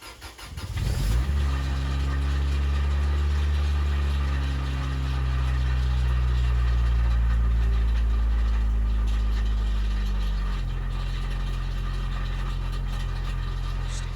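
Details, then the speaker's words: 1995 Lotus Elan M100 S2 cold start: the engine catches, then a fast idle settles lower with a hollow, buzzy rattle and reverberation on the exhaust that eases as it warms; exhaust joint fit checked OK, owner suspects deteriorating internal baffles. "Something else that is very much starting to bother me is that the exhaust is really really rattily, particularly when you just start it up, there's lots of rattles and reverberation from the"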